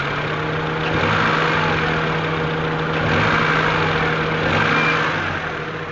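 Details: Honda F22A6 four-cylinder petrol engine idling and revving with a raspy, puffing edge and bogging, from an exhaust leak.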